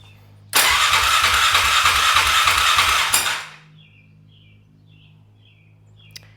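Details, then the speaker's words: 2001 Polaris Scrambler 500 2x4, seller-reported no spark: starter cranks about three turns a second under three seconds without firing; no peak voltage at ignition coil and no spark at plug. "It doesn't spark. I I'm at a loss. I don't know what to do."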